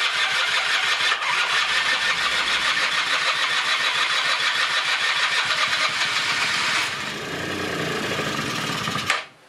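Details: 1996 Rexy 50 two-stroke scooter, barn find, first start after 13 years: high buzzy note running steadily on tank fuel, then easing down and cutting out, no misfire; ran about 10–15 minutes and takes throttle; normal running.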